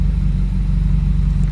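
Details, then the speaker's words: Subaru WRX FA20DIT on a speed-density tune, at cold start/idle with code P0303 after new plugs in cylinders 1 and 3: a deep loping idle with an uneven beat, a cylinder three misfire; owner suspects an internal cause from oil on the plug. "all right guys a very interesting day so i won't let you guys know that i'm having a huge misfire on cylinder three"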